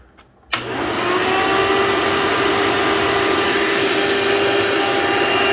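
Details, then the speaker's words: Elite vacuum, sounds different from about a dozen other Elites; motor spins up to loud, steady buzzing drone with harsh hiss; owner suspects damaged fan and dried-out motor bearings, unsure, may just be loud. "Yeah, so it's also loud. The fan is probably messed up based on the buzzing. And the motor bearings sound dried out."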